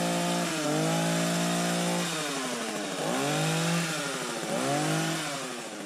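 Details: Hedge trimmer after repacking the nearly empty gearbox with grease: revs up and down in short bursts with clean whirring, no metal grinding; grinding noise resolved.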